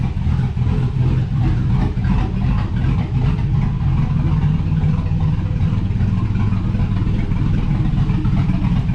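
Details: 2005/2006 GMC Sierra 5.3 LS V8 after lifter failure repair with BTR Truck Norris cam and LS7 lifters, not yet tuned: deep, steady idle with even low rumble and slightly busy valvetrain, no misses or knocks; normal idle.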